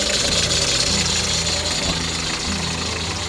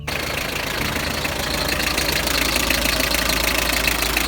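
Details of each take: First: Hyundai HR truck idling: high, raspy chirping squeal over the engine hum from the power steering belt; rubbing candle wax on it is a short-term fix. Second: Hyundai HR diesel at idle after replacing the squealing power steering belt: a steady, even clatter at about three beats a second with no belt squeal or chirp.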